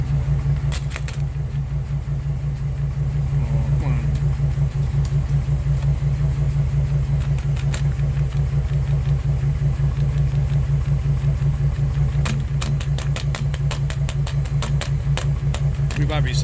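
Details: 2006 Ford E-Series Econoline V10 running really rough, steering wheel and door shaking, code P0306 (cylinder 6): deep exhaust idle with steady, lumpy puff-and-gap beat, roughly three a second. Misfire at idle.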